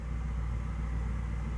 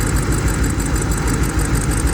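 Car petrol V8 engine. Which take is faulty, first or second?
second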